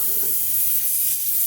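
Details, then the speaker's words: Dodge Caliber SRT-4, engine off, boost leak tester pressurizing the intake to 10 to 15 psi: steady hollow air hiss. Leak found at an open, uncapped port on a line near the EVAP hookup. "Well, there it is, you guys. There's my leak."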